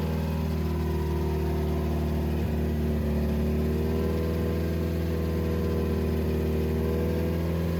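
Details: 2007 Subaru WRX with STi engine swap, first official startup after install, run around 2500–3000 rpm for about 15 minutes to break in; steady, even fast-idle hum with no ticks, knocks or surging, running smooth.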